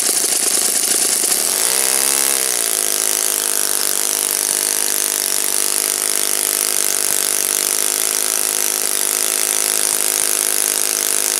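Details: Saito FA-56 four-stroke glow engine, moderate-time, first run after teardown, cleaning and bearing replacement, 12x6 prop, OS F plug, Omega 5% fuel, tuning run: buzzy single-cylinder note sweeps up in revs, then holds a clean, even pitch without misses; normal running.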